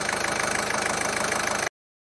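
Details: Ford 1.5 TDCi diesel, after repair of a jumped timing belt (rocker arms, valves, camshaft and belt replaced): an even, fast diesel clatter at idle that holds steady with no misses, knocks or hunting. Healthy idle.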